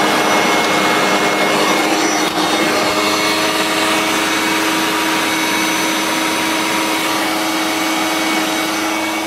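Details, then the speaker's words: Hoover Turbomaster U5094 upright vacuum after refurbishment, brush roll off: an even high-pitched motor roar, clean and steady, with no rattle or scraping. Both motor bearings had been seized, one spinning on the armature shaft; grit was washed out, and it now runs smoothly. "It sounds very smooth now. Both the motor bearings were seized."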